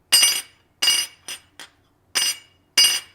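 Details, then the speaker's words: Stihl BR 600/700 backpack blower engine pan drop-tested on a steel table: six sharp drops, each with a bright clean ring and no dull thud, indicating an uncracked pan. "you'll hear it it'll have a nice little ring to it and that's a good quick way to check these for cracks"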